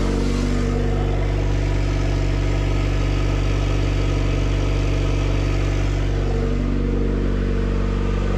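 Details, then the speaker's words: Honda CR-V RD1 after head rebuild (new head gasket, timing belt, water pump), newly turbocharged with manifold, turbo, wastegate, feed and return lines, running through a partial open downpipe; loud, deep, steady throaty drone with even pulse, no knocks or rattles. Normal running. "we fired it over. It sounds pretty throaty. I mean, granted, it's open downpipe, but it sounds good."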